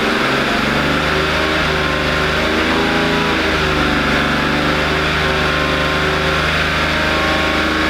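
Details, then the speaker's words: BMW Z4 after oil change, with a coolant leak and no cooling: engine revved briefly, and a light ticking persists, buried under the running noise; cause not found. "all right so I'm not exactly sure that that did anything uh I still hear it ticking sound"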